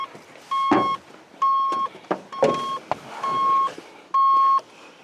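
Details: Square-body 3/4-ton 4WD Suburban, bought sight unseen, that cranks but won't fire, on jump batteries: a high steady beep repeats about once a second among clunks as the aftermarket security alarm keeps sounding.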